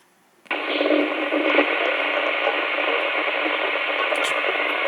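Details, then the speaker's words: Albrecht AE6491 CB radio with its Noise Reduction Circuit (NRC) on, scanning with ASQ: sudden hiss with a choppy, robotic voice-like burble on an empty channel, like digital breakthrough noise, cause unclear. "As you hear, this is a problem I found. It's got a robotic voice, but there's nobody there. It's an empty channel."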